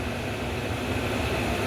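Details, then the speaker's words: Kenmore Cool N Lite (GE Carry Cool) window AC, after fan oiling: steady airy rush with faint constant hum, no rattles or grinding; compressor quiet and healthy, condenser airflow somewhat weak but it cools. "don't a lot of air coming out of the condenser but compress doesn't seem like it's running too loudly so I think it's probably good"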